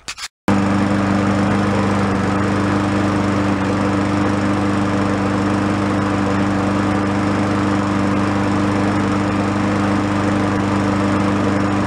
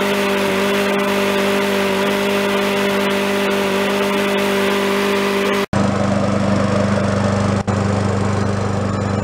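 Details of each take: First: Free yard-sale Craftsman mower, tagged "oil leak, head gasket, still runs": steady, slightly rough drone at constant speed, no knock or miss, smoking a lot. The crankcase is overfilled with oil. The planned fix is draining it to the proper level. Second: Free yard-sale Craftsman mower, about ten minutes after the crankcase oil was found just above the high mark: single-cylinder engine holds a steady, even drone with a brief dropout. It is burning off oil on the contaminated muffler. Normal running.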